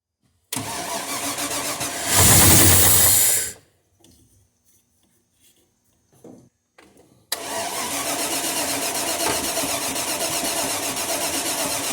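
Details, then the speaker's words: 1993 Land Rover Range Rover Classic under restoration, reassembled, first start attempt: cranks, catches and flares loud, stops, then restarts and settles into a steady, even run with no knocks; normal start and idle. "so i put it together off film and we're ready to fire it up"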